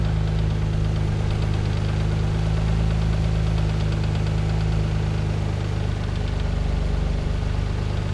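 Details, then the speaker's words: Mazda KL-DE 2.5 V6 swap, nearly warm, idle being set a quarter turn at a time: steady, even hum holding about 1,000 rpm, with some hunting, against a 400 to 600 rpm target; idle speed set too high. "much later we're still on 1,000 RPM on that"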